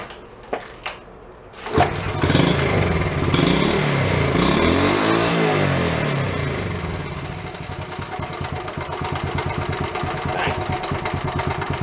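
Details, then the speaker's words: Worn Honda Trail 70 single-cylinder engine after restoration work, idling with a busy, clattery rattle; slack cam chain suspected, cam chain tensioner to be adjusted to cut the noise. "next thing I wanna look into is the cam chain tensioner giving you rid of some of that noise"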